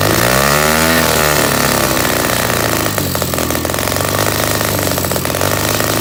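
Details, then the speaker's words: Project pit bike's small single-cylinder engine at its first start-up after carburetor work and a new fuel filter, with the choke on so it runs rich; it revs raggedly, then settles into a fast, uneven popping idle. "I like to start up with the carburetor air blocked off the choke off or choke on so it'll uh it'll run richer and then once it starts up I'll flip it"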